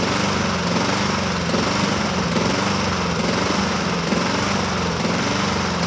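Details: 2007 Honda HRR2162SDA Quadra Cut mower, after a stuck-open intake valve was fixed, surges with pitch drifting up and down in slow waves. Water was removed from the tank; it runs better on partial choke; owner may re-clean the carburetor. Cause unconfirmed.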